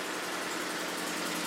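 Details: 2012 Ford F150 idling after the no-start, shutting-off fault was traced to a loose connector in the passenger-side fuse panel; a smooth, even hum with a light hiss, no knocks, misses or surging; a steady, normal idle.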